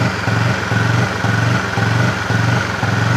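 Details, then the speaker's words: Honda CB fuel-injected motorcycle held at raised rpm surges and runs roughly, about twice a second; sensor data during throttle opening is being checked for the faulty misfiring that five services failed to cure. "Coba saya tarik ke atas saya narik ini loh RPM kan kelihatan toh Ayo saya naik nah sampai nanti yang bunyi kacau noh"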